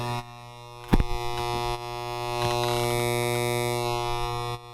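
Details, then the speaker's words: Sound Track SHA-120 powered audio mixer amplifier with noise and distorted audio: steady loud hiss with low mains hum and stacked buzzy tones; amplifier hiss attributed to failed capacitors, owner first suspected a transistor. "you can probably hear the background noise that is my little amplifier"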